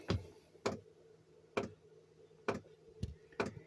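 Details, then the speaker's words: Chinese diesel air heater after losing heat and throwing E10: glow plug lit, pump ticking slightly unevenly a bit over once a second over faint hum, still cold air and no heat; suspected contaminated fuel. "the glow plugs lit the pumps pumping cold air no air no heat at all so i'm still getting the same problem"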